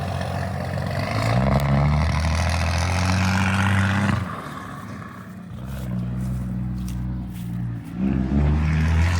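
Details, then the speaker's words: 12-valve Cummins diesel swapped into a 1967 Ford F100: deep, even diesel clatter at idle with light throttle blips, smooth and steady; normal diesel idle. "Sounds good. It does sound good."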